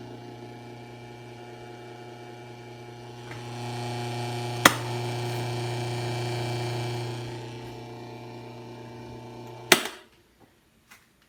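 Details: Asahi LS 6004 electric fan running with a steady low electrical buzz and faint rattle, then clicking off.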